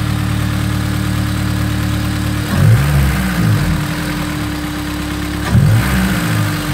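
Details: Honda S2000 F20C engine after a valve adjustment: smooth, even idle with a steady low drone and two brief throttle blips, no ticking or knocking; healthy normal idle.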